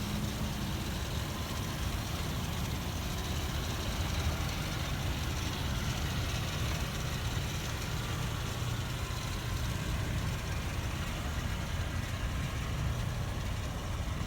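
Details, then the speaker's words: 2005 Ford Explorer Sport Trac, Florida truck, running at idle: low, even hum with no knocks, misses or surging; engine runs smooth and healthy. "okay here she is car is running you can hear how smooth the engine"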